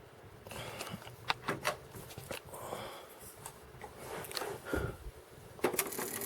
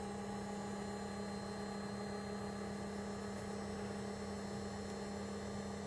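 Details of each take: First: Cassette deck powers up with scattered mechanism clicks and clunks but no steady tape-drive hum. The transport isn't turning because the drive belt is gone, as the owner expected. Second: JVC VCR rewinding a tape: quiet, smooth, even motor whir with a steady hum and no catches or squeals; healthy rewind.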